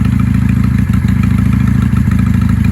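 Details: 1995 Honda Shadow 600 VLX VT600CD V-twin after fuel-leak repair: steady, even loping beat with a deep exhaust note and no misses or clatter; normal idle.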